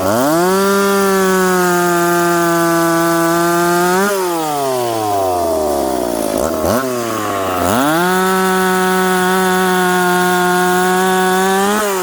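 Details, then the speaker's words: McCulloch Pro Mac 850 chainsaw cutting oak after chain sharpened and rakers set, on a well-worn bar: high steady two-stroke scream sags as the chain bites, then climbs cleanly back to full revs; pulling strongly, normal. "chain definitely cuts better now we ran out of oak but uh we got what we needed out of this test"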